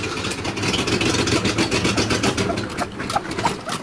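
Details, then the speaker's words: Mercedes W123 250 limousine, euro model, running on a little gas poured into the carb: ragged, uneven firing without a steady idle; owner suspects it needs a carburettor rebuild and fuel pump, possibly sucking air, and notes an exhaust leak. "so it's a runner you definitely have exhaust li and you definitely need to do a little work on it the carburetor needs to rebuild and needs a fuel pump that's the problem it ain't pump and fuel"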